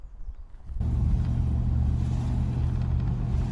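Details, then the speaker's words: Triumph Stag V8 driving on local roads: quiet, then deep smooth V8 rumble starts and builds evenly as the car pulls away; immense V8 sound, normal running. "just love the sound of that v8 verbal it's just immense isn't it it really is"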